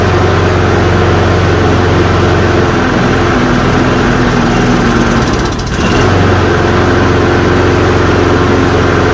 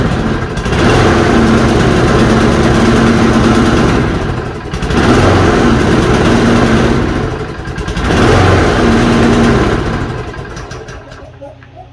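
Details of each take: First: Toro Recycler self-propelled push mower, 190 cc single-cylinder engine with flywheel-driven choke: holds a steady, even idle with no misses or surging; normal running. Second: Toro push mower after reassembly with air filter box reinstalled: small engine surges up and sags back every three to four seconds as the choke keeps opening and shutting; owner suspects heat eventually holds it open.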